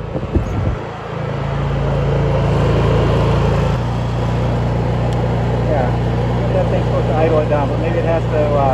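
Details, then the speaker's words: Honda EU3000is inverter generator, previously surging, after fresh fuel and a hose service fix: a steady, even hum that firms up as an electric heater load comes on, with no hunting or surging; it runs healthy. "but it's already running a lot better"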